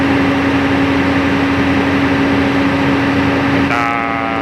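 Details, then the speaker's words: Truck diesel running after air compressor pressure adjustment, pressure building slowly from 7 bar toward 9 bar: steady drone with even hum, shifting near the end as air starts to vent; normal pressure build-up. "Awalnya dimulai dari tujuh bar, sekarang kita tingkatkan. Jadi tekanan udara memang meningkat. Ya, perlahan-lahan naik ke arah."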